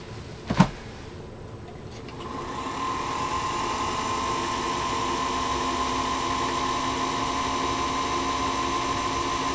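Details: Singer Featherweight 221 sewing machine motor, after repair of damage from wrong lubricant, running unloaded; click then smooth, even hum at steady pitch, no grinding; normal motor run.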